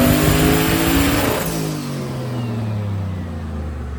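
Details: Body-swapped 99 Corvette "Jeep" on a dyno, made 580, earlier rich running and weird noises gone; winds hard under load, note drops away smoothly as revs fall, no odd noises: normal engine pull on dyno.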